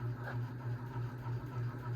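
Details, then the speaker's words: 52-inch unknown-brand bronze hugger ceiling fan (Harbor Breeze brackets, Hunter blades, Patriot Lighting Arthur housing) on high speed: low buzzing hum pulsing about four times a second; wobbling, owner suspects a flywheel out of balance. "It does wobble, but that's okay. I think one of the flywheels out of clock."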